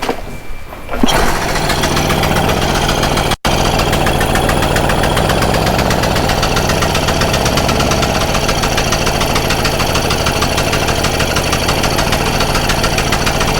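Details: Stihl Magnum BR800 two-stroke blower, after the high-speed needle is turned in a little: starts and settles into a steady, even, high buzz with no misfire or surging. The engine is running normally.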